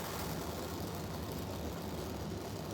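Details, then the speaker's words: Oxy-acetylene torch set to a neutral flame for gas welding scrap steel. Soft, even hiss, barely audible, with no popping or roar; a properly set neutral flame. "carbonizing neutral oxidizing you want a nice little neutral flame"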